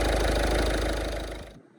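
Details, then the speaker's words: 2010 Ford Fiesta Zetec diesel after new timing belt, auxiliary belt and full service (oil, fuel, oil and air filters): cranks and starts lovely, about 1.5 s of smooth even diesel clatter, no knocks or misfires; normal idle. "but I'll crank it, Dave. And she starts lovely. Job done."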